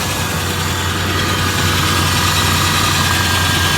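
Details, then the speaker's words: 1994 Ford Ranger XLT 4x4 from the junkyard after oil change: even, steady idle with a low regular pulse and no knocks, ticks or misses; normal idle. "same same that's good"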